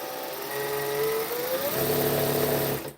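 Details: Industrial sewing machine after two drops of oil on the bobbin case, running at speed: steady even whirring hum with a light fast ticking underneath, no knocking or grinding; bobbin case noise reduced, runs smoothly.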